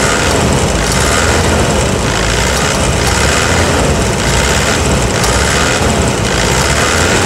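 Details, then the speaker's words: 2009 Toyota Hilux diesel at idle after repair: the stuck injector was fixed by fitting new tips (element) on all four injectors. Steady idle with an even, regular clatter and no odd knocks; normal. "e agora aquele time travado o bico fora agora tá com as ponteiras dos bicos novas"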